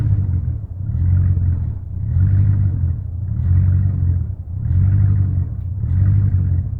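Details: 1999 Chevrolet Silverado 1500 V8 with a rough idle that surges and sags about once a second. It persists after replacing the intake manifold gaskets, plugs, wires and fuel pump; cause unknown.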